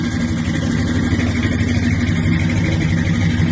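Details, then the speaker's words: 1973 car on 26-inch wheels with a 350 V8 idling smoothly after a retaining spring seat fix: faint puffing tick on the low rumble from an exhaust leak. "I hear that exhaust leak. All I hear that exhaust leak now. I done heard it. All I can hear is that exhaust leak."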